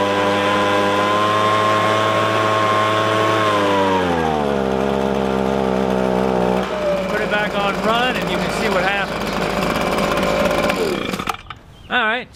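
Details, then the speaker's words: Echo ES-250 (PB-250 same engine) two-stroke leaf blower, warmed up: idles fine but at full throttle screams then pitch sags and stays low, only about half power; lean high-speed carburetor mixture causing bogging. "what happens is is the engine will idle fine but when you give it gas it just falls on its face and only puts out about half the power that is supposed to"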